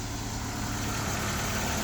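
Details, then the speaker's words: 2001 Ford Escort ZX2, just started after at least months sitting, low on fuel with a partial gallon: steady, even, low idle with no misses, knocks or hunting. Owner suspects a break in the starter circuit. Normal idle. "Yes, I know it's low on fuel. I think I got like a few like a partial gallon in it, but we are idling steady."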